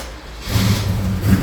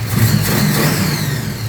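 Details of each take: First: Holden HQ sedan with a small-block Chevy V8, started cold, owner reports sluggishness: runs with an uneven, stumbling low beat and the engine bouncing at steady rpm; a very bad misfire from plugs fouled by an over-rich carburetor. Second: Holden HQ small-block Chevy V8 after the carburetor replacement, with the idle cam giving a lumpy beat: a deep, even burble that settles cleanly and picks up crisply on the throttle; normal running.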